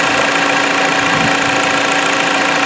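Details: 2016 Jeep Patriot 2.0L inline-4 that had misfires, after a Piston Clean decarbonizing soak and running warm: fairly even idle with a steady hum and no missing beats or stumbles. The engine runs smoothly again.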